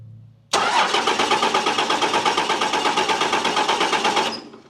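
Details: Dodge Cummins diesel plow truck, sat for years: starter churns with uneven compression pulses about three a second for four seconds, no start; fuel reaches most injector lines but a couple show none.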